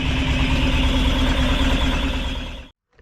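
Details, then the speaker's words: Rebuilt Ford crossflow race engine in a TVR Vixen with a loaned cylinder head, after a 15-minute spirited drive: strong, even, crisp beat then clean shutdown, pulling well with no pops or bangs; normal running. "and it seems to be working that sounds all right pulling all right no pops or bangs"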